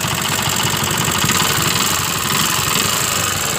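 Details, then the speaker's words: Yamaha Jupiter MX 135 with a rough rattle over a fast idle, loudest from the top end, smoky exhaust, oil empty and radiator dry; inspection found a collapsed water pump bearing causing the top-end noise. "Jadi untuk suara bunyi di bagian atas fix di bagian laher waterboomnya oke"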